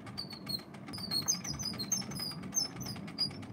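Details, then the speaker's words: 1926 Victor Victrola VV 8-4 phonograph being hand-wound: chirpy high squeaks repeat with each crank turn over a soft rumble; dry spring motor winding gear squeals and needs white lithium grease. "yeah you could hear the squealing that needs to have white lithium grease is needs to be"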